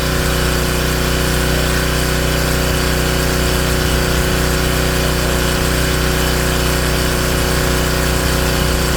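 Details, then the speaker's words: King Canada Powerforce 1500W generator after governor adjustment, carrying roughly 1200 W hair dryer load on medium with good heat: steady even drone at constant speed, no hunting or surging; normal running under load. "Oh yeah. She responded. And she's putting out good heat now."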